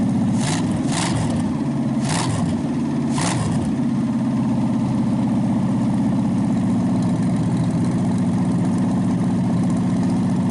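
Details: Packard 374 cu in V8 at settled idle during warm-up cycles burning oil off the exhaust manifold after carburetor cleaning: even, with a few sharp clicks nearby early, no misfire, tick or knock, smoke nearly gone. Normal idle.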